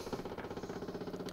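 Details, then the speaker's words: Yamaha G29 golf cart, key on after replacing the faulty stop switch/relay part and charging the battery, belt removed: quick, even pulsing buzz, about fourteen pulses a second, as the electric fuel pump runs normally. "you can hear that electric fuel pump going but now it starts every time now got that new part in there"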